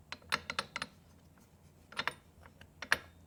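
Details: Rebuilt Triumph Spitfire transmission turned by hand: irregular sharp clicks in small clusters, mechanical rattle inside; synchro rings seem very loose, cause not pinned down.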